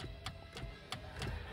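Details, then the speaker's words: Honda Accord that previously would not start, cabin: the shift lock solenoid/actuator now clicks sharply about every third of a second and the brake-linked PRND shifter moves. Before, the actuator was dead and the transmission could not be shifted. "So malaki na nga yung improvement niya kasi ano na to gumagana na yung actuator. Dati wala yan patayan. Hindi mo makakambyo yung transmission niya."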